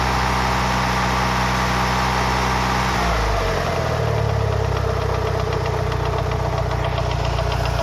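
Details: Lancer Evolution VI 4G63T idling during warm-up at 75-80°C oil temp; a loose, uneven top-end tapping two to three per second, loudest near cylinder 1 and worse after a track day; lash adjusters cleaned and bled without improvement; rod knock or lifters suspected.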